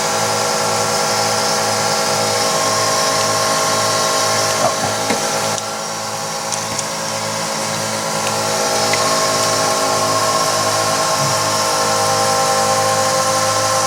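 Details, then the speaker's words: Twin-pump fuel system on a twin turbo 5.2 Magnum build, pressure raised from about 20 psi by tightening the regulator set screw, target 58 psi; steady high electric pump whine with fast pulsing ripple, note changing as pressure rises. "so we're only at like 20 psi which is no go so we're gonna break this nut loose and then hopefully we'll tighten this guy down look at your face you hear the pumps changing"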